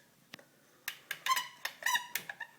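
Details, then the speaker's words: Maytag Maxima MHW6000XW front-load washer control knob, new: short, sharp, uneven squeaks as it is worked back and forth, binding instead of turning freely; squeaking control knob. "it's like it's not moving freely you can kind hear that squeaking noise"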